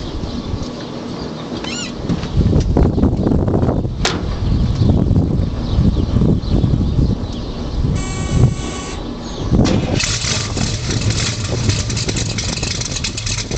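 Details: 1968 Camaro Z28 clone, 385 stroker V8 (350 bored .040 over), Brodix heads, Comp 284 cam, 750 Speed Demon carb, 10:1 compression, 454 crank hp: deep, lumpy idle with an irregular chop; rough idle, cause unclear.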